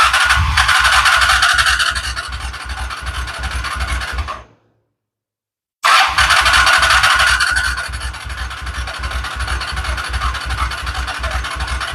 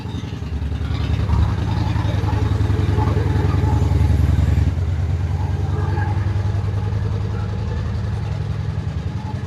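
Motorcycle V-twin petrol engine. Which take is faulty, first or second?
first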